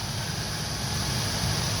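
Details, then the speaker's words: 2000 Ford E150 van, 4.2 V6, idling after the alternator was replaced: smooth, steady idle with the growling noise gone, no longer trying to stall, and the charging system good. "right charging system is good noise is gone"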